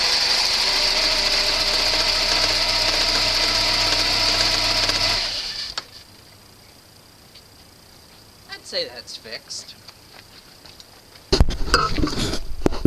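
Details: Volvo 940 after replacing the crank position sensor on top of the bellhousing, whose cracked sheathing let water in and caused hard starting and power loss: the engine runs steady and even for about five seconds with no misfire, then shuts off cleanly. Normal running.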